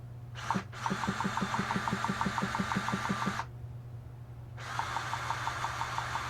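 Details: HPI Savage nitro RC engine after fitting a new one-way bearing, exhaust gasket and exhaust coupler, on its first run since: a steady low buzz with light even ticking about three times a second, holding smooth. Normal idle.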